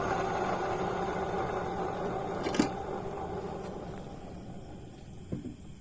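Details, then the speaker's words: Yamaha Mio S 125 scooter, CVT cover removed and the rear pulley spun by hand; a rough, snoring-like gritty whirring fades as it spins down. The noise stays at the rear, traced to worn rear pulley bearings. "dan setelah kita putar udah belakangnya ternyata masih ada bunyi di bagian belakang sini ya teman-teman"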